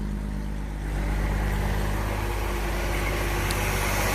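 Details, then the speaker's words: Ford Falcon, believed 170 cu in inline six, first run in about 17 years, mouse nest blown out of the exhaust: steady, even low idle rumble, no misses, knocks or ticks, running quiet; normal idle. "blew out a little bit of magic mouse nest exhaust system most definitely filled up but she was running quiet running good"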